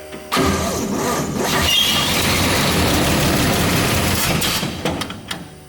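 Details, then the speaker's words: 60-year-old GMC military truck on diesel with electric fuel pump, starter area smoking: labored slow uneven starter drone for about four seconds, never catches; owner suspects battery lacks power; slow cranking. "you want to crank it over and let me see doesn't look that bad it seems like the battery doesn't have enough power"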